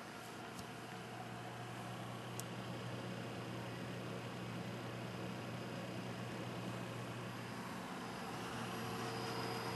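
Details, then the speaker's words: Hi-Phin AMD X2 desktop (AM2 dual core, 250GB SATA drive) recorded with the microphone beside the case under full load: soft even fan whoosh over a low steady hum, no hard drive clicking; the rear fan is loudest. "so as you can hear even the full load you can't hear the hard drives clicking and working you can't really hear that on the only thing you really hear is the fan at the top and the fan in the front"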